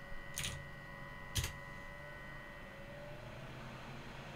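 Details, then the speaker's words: Noctua NF-F12 PWM 12 V computer fan driven by a QuinLED ESP8266 controller set to PWM 1023, essentially no PWM: the buzzing stops, leaving an even airflow hiss and steady motor tone, fan running loud and clean at full speed. "now the buzzing goes away, and well, we just have a very loud fan."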